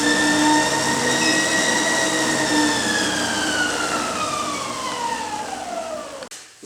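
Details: Treadmill after tightening and centring the belt; clean motor whine falling smoothly in pitch as the belt coasts down, no rubbing or knocking; sounds healthy.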